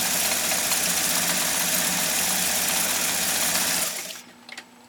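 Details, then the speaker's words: 1958 Viking-engineered Elgin 2468 sewing machine sewing a cam-generated stitch, heard right next to the machine. Light, fast, even whirr for about four seconds then stops: very quiet, normal running. "here right next to the machine, that is about as quiet as you can get for sewing off uh at that stitch level."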